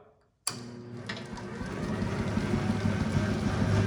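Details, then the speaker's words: Circa 1932 Bennett Model 450 twin gas pump, barn find idle over 40 years, both electric motors and switches rewired, left-side motor switched on: click, spin-up to steady low hum with light rhythmic belt ticking; runs normally though belts shredding. "And there you go. 1930s Bennett twin 450 gas pump comes to life."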